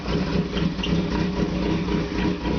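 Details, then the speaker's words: Opel with TH180 automatic, first start after ingesting a gallon of transmission fluid through a failed vacuum modulator (new modulator, oil and filter changed, vacuum lines cleaned), cold: uneven, lumpy idle. The owner suspects one cylinder missing until the fluid burns off. "I don't know sounds like I'm missing on one cylinder but hopefully as the engine warms"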